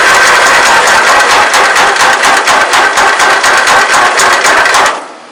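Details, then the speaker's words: 1994 MTD Vari Drive 5-speed yard tractor, 11.5hp Briggs & Stratton flathead, hot-jumped without a key: harsh rapid clattering, about two beats a second, over dry-engine cranking; knock while cranking, owner suspects low oil. "It sounds like knocking. It only needs oil. We got to put some oil in this thing."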